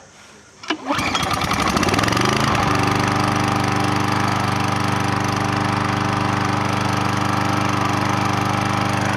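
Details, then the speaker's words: Troy-Bilt pressure washer that reportedly would not fire, started with a pull after cleaning and repair. It catches quickly, then runs at a steady, even, fairly quiet putter with no misses or knocks; running normally. "Wow listen how good it sounds first is like a kitten then it's not very loud actually"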